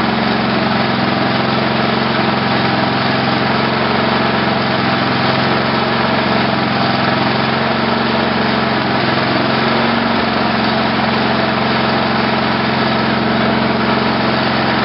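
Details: Tecumseh HH120 single-cylinder tractor engine on an engine simulator, final test run after fitting a GM LS2 ignition coil and a modified GM crankshaft sensor: steady, even chug at constant speed with no misses or knocks; it runs normally.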